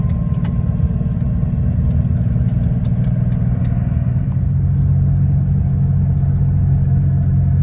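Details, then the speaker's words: 1979 Porsche 930 flat-six, cold start after fitting new fuel pump relays (car had stalled and wouldn't restart): steady, even low idle without stumble or hunting; responds immediately, no longer rumbly and hesitant when cold. "yeah that sounds like a nicer startup let see yeah we got a beautiful morning and uh engine just sounds just better maybe that's the sound of it being properly fueled"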